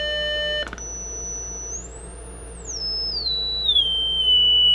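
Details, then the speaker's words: Zenith 4-B-231 radio speaker (49-191AB), audio generator swept from 60 Hz to 1000 Hz into the repaired output transformer primary: clean tone holding steady then gliding smoothly, no buzz, rattle or distortion; normal tone reproduction. "it's now as good as 60 Hertz we've entered hurt as a thousand Hertz"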